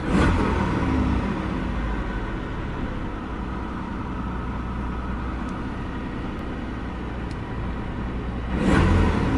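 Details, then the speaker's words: Supercharged Isuzu truck after throttle body part replacement and battery disconnect: steady fast even hum with no dips, idle much higher than it should be, slowly coming down; high idle. "well so far not good the idle is slowly coming down but it's much much higher than it should be at the moment"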